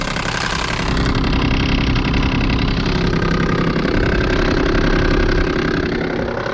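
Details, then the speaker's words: 2022 Ruud Achiever heat pump outdoor unit, frozen over and running in heat mode on a snowy day with barely any airflow, before it kicks into defrost: steady compressor hum with a muffled, labored fan drone and little air rush; unit iced over. "all right so here we have a 2022 rud a chiever heat pump running frozen over running in heat"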